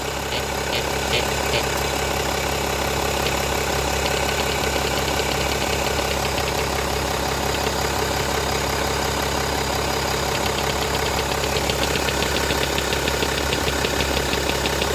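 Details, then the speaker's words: BMW 525d E60 diesel at idle: faint rapid quacking duck noise over idle clatter that stops when turbo actuator vacuum line is squeezed; owner suspects cracked plastic housing acting as vacuum leak, may throw fault code. "and if I squeeze the turbo actuator vacuum line it stops making the duck noise let go again how does it feel good pressure if it starts again"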